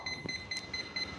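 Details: FMS P-51 Dago Red 1.1 m electric RC plane: short high ESC beeps repeating about four times a second without stopping; it won't arm, throttle range likely uncalibrated.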